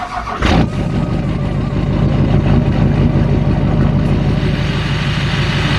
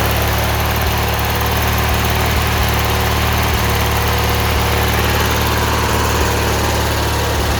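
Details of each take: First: Murray 18 hp V-twin riding mower (Briggs & Stratton) with rough idle, before carb cleaning; cranks and catches, then idles unevenly with beat rising and falling; rough surging idle. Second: 18 hp Murray V-twin riding mower, after carb cleaning fixed rough idle and surging: even, steady idle with a smooth low rumble, no hunting or surging; normal idle.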